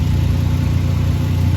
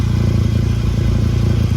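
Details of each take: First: 2011 VW Golf Mk6 wagon at idle after welding and wrapping patched exhaust pipe holes: steady, smooth deep drone, no puffing at joints; exhaust now sealed and quiet. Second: 2011 VW Golf Mk6 wagon at idle: loud, deep, blatting exhaust with a raspy low pulse, blowing through a big hole at the top of the pipe near an old clamp; exhaust leak before repair.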